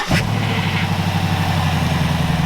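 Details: Toyota FJ55 Land Cruiser after reconnecting a disconnected ground suspected of preventing starting: short crank, then the engine catches at once and holds a smooth, even idle with no stumble or knock.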